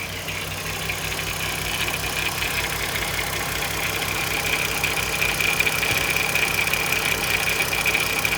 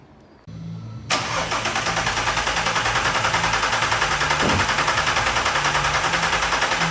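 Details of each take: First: Audi TT 3.2 VR6 at steady idle with a light, fast metallic rattle riding on top, about two or three ticks a second, sounding like timing chain noise; timing chain suspected, not confirmed. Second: Audi TT 3.2 VR6 after timing chain replacement: the starter whirs briefly, then the engine catches and settles into an even idle with steady pulses about three per second; it sounds healthy. Normal start and idle.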